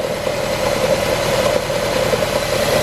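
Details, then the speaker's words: Nissan with about 150k on it, cylinder 4 misfire with code P0304, recorded at idle after the codes were cleared. The idle is uneven, with irregular stumbles and visible engine shaking in the exhaust pulse; one cylinder is dropping out. "can't really tell but it's shaking pretty good rpms aren't jumping as bad as they were when we didn't have the codes cleared but now that they're cleared it's definitely not as bad but you can hear it when we read the engine"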